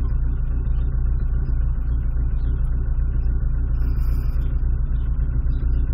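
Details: Rover 200 with BRM engine at idle: steady low rumble with a faint uneven pulse about four beats a second, a slight misfire of unknown cause; temp gauge sensor needs rewiring.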